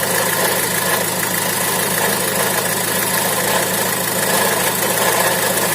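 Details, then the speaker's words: Opel Vivaro/Renault Trafic 1.9 diesel idling: quiet with the belt off, but with the belt back on a dense, harsh crackle returns from the right side, traced to worn alternator bearings. "И слышим, как с правой стороны обратно начинает трещать. Вот. У нас этот треск слышен."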